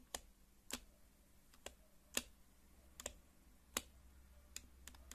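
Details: HHKB keyboard spacebar typed in a quiet room: sharp irregular key clicks with a hollow clack on some strokes from a dry stabilizer wire; fix is lubing stabilizer contact points with Krytox GPL 205g0; spacebar stabilizer rattle.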